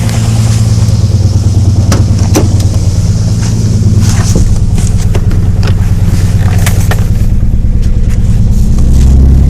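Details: 1993 Nissan 300ZX 2+2 non-turbo, started after sitting over a year: revving with sharp knocks near the top of the revs, fainter at idle; owner suspects a crankshaft bearing (rod knock), not confirmed.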